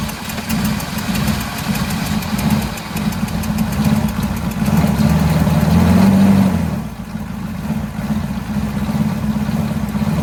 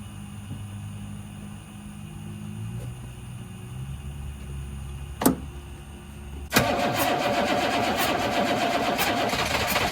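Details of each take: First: 1983 Chevrolet squarebody 6.2 diesel, first start in years without replacing the injection pump, after bleeding air; steady clatter at about four beats a second with a brief rev, a little smoky, good oil pressure; normal diesel idle. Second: 1983 Chevrolet squarebody 6.2 IDI diesel, not run in years, fuel shutoff valve reinstalled on injection pump, bleeding air at loosened injector line: cranks with uneven churning beat but never catches; no start from air in fuel lines.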